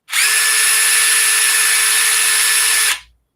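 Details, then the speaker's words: DeWalt DCF840 impact driver after opening it up: a steady high whir with none of the rapid hammering rattle. It spins but is still missing impacts, and the cause is unknown. "It still doesn't still sound. Missing. Yeah, it's still"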